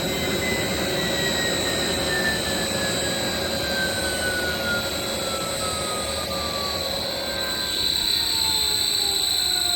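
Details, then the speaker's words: 7.5HP (5.5kW) three-phase regenerative ring blower (CNC vacuum pump) on a 10HP VFD: whine falls smoothly in pitch during controlled decelerate ramp-down instead of coast-to-stop; earlier bad noise gone, though bearings sound worn. "down okay bad burn noise is gone don't even hear it anymore"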